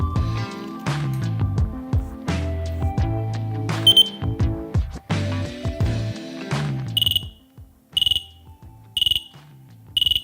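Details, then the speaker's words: Dräger BG ProAir closed-circuit breathing apparatus during residual pressure test with cylinder valve closed, bypass pressed to simulate oxygen use: high beep repeating about once a second as pressure falls below 55 bar; warning works normally. "i now need to simulate a use of oxygen by very carefully pressing the bypass the warning should activate below 55 baht"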